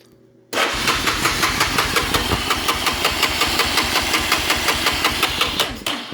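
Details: Honda Fourtrax ATV after parts upgrades and a new handlebar switch, carb cleaner sprayed; even starter cranking, about three compression strokes a second for five seconds, never catches; no spark, traced to an open-circuit stator.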